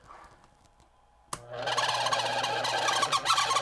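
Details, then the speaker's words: Honeywell fan switched on: sustained scratchy high squeal over the motor hum, drawing above its 0.8 amp rating; dry, oil-starved motor bearing needing oil. "So if your fan makes that noise, stop using it. Stop. Just stop right now. Because it needs oil."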